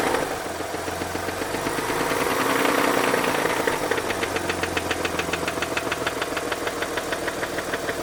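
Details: Mazda RX-8 Renesis rotary engine at idle: crisp, regular knock about three to four times a second; owner thinks it comes from the rear of the engine or the clutch and seems not to be the SSV; cause undetermined.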